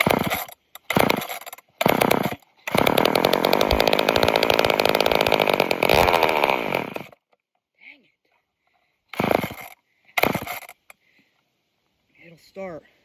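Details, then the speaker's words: Junkyard off-brand old chainsaw, choke used: fires and buzzes rough about five seconds then dies, then short pulls; suspected fuel starvation, possibly from a dirty filter. "but don't want to stay running. [Music] I think it's having a hard time pulling the fuel."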